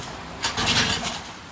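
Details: Mercury 9.8 hp model 110 outboard, first start after about 10 years on a shelf, fuel poured into carburetor and oil added: catches under a second with a few pops then dies — fires briefly then dies.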